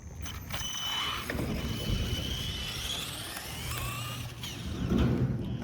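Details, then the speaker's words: Traxxas E-Revo electric RC truck with mic on the car: motor whine rising and falling with throttle, gritty rasp only under heavy throttle; owners suspect the differential. "Now I know that you guys couldn't hear the three of us, but we are thinking that it has to be the diff. The sound only happens when we're giving it a lot of juice."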